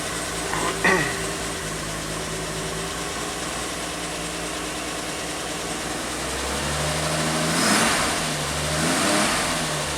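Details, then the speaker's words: 1967 Triumph GT6 six-cylinder just started on a warm day with a hair of choke: it catches quickly, blips, then settles into a smooth, even idle with no knocks or misses. It runs sweetly. "Just beautiful. I just need a little bit of choke, like a hair. It runs so sweet."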